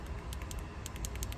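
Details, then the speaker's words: iPad Air 5 jammed power button after loosening a screw near the dent: light, crisp clicks about ten in a second and a half in a quiet room; button now presses and releases freely. "Yeah, so I know I'm on the right track because, it barely clicks. So these things are almost loose. Yeah, now it's totally clicking."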